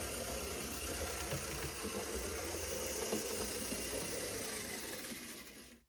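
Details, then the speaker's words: Tyco GP20 HO scale locomotive after cleaning and rear truck maintenance, running on power: steady even motor hum with light wheel chatter, runs well in reverse and even stronger forward; normal running. "It seems to do pretty well in reverse. Let's flip the direction and see how it goes forwards. and it seems to be even stronger going forward."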